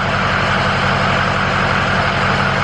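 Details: Ford F350 dually 6.0 PowerStroke diesel idling after a new XDP gear-reduction starter install, which starts quicker and quieter than stock; steady even diesel clatter, no grinding or whine, healthy normal idle.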